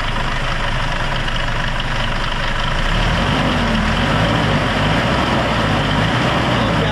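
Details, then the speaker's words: Hyundai Starex D4CB diesel, hood open, throttle blipped: a loud clattering knock at the front of the engine that grows and quickens with revs; the mechanic judges it timing chain. "Sobrang ingay mga boss. So ang hatol ko dito mga boss, timing chain."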